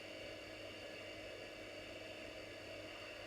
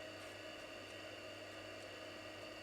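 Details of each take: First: Commodore Amiga 2000 floppy drive, after head cleaning and adjustment: faint steady whir with thin constant tones, no seek clicks; drive keeps spinning but disk never loads, stuck after first loading screen with both Workbench 3.1 and 1.3. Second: Commodore Amiga 2000 floppy drive after head cleaning, lubrication and adjustment: steady light whir over a low hum, no clicking or grinding; head seeks smoothly, sounds perfect now.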